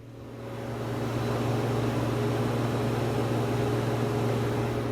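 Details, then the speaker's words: Infiniti G35 with an installed nitrous kit died on its own while revving and now won't start; on a start attempt nothing happens except a steady hum as the radiator fans kick in. The owner suspects an electrical fault, and the nitrous wiring checked OK. "you can hear the radiator fans kicking in um so that's kind of a weird thing for me that's what makes me think that it is something electrical"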